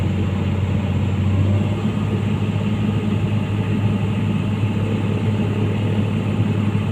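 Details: Komatsu PC200-8 excavator diesel settling into an even, steady idle with no misses, knocks or hunting, in a case of crank-no-start from a defective common-rail pressure sensor giving no rail pressure.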